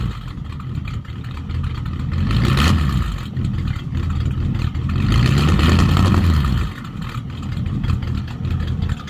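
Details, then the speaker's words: 1951 Mercury with Rochester 2-barrel carb swap, mufflers cut off for straight pipes; deep open exhaust bark through two clean rev blips then back to loping idle, sounds a lot better; owner notes carb may run slightly short of fuel, needs tuning. "sounds like the car rakers running out a little bit out of fuel too so a little bit of tuning but it's not too loud inside at all very Crucible noise level"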